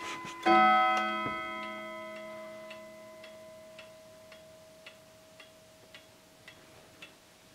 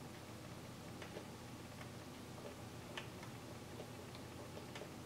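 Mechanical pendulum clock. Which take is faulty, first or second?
second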